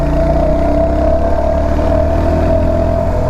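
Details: Royal Enfield Hunter 350 single-cylinder idling steadily with a rapid tar-tar rattle over the exhaust note, appearing after its 3rd service; abnormal engine noise, owner unsure of source and taking it to the showroom.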